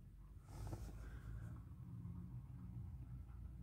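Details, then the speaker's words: Car after tightening a loose bolt that made what seemed a steering rack knock, worse over bumps: low steady rumble, knock gone, front end quiet. "пропал стук пропал выше не стучит"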